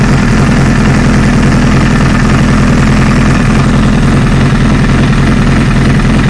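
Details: 2008 Honda CBR1000RR: loud deep idle with uneven clac-clac clatter about three times a second that vanishes under load in 1st gear. Engine opened, nothing broken or worn; owner suspects the clutch basket.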